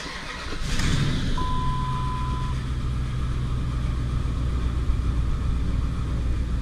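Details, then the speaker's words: 2004 Dodge Ram 1500 5.7 Hemi after throttle body removal and reinstall to fix lightning-bolt warning light: starts and settles into a steady, even low idle with no misses or knocks, no relearn needed, light now off. "Actually, idle's great. Didn't have to relearn anything, and you'll notice that light is no longer illuminated."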